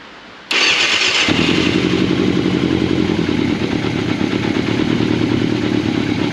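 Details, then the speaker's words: 1989 Yamaha FZR600 Genesis, unstarted for over 4 years, new battery fitted, fuel pump making no noise: the engine catches and holds a rough, steady run for a few seconds, not on its own fuel; cause unconfirmed. "all right so we've basically got it running but it's just not running on its own fuel for some reason"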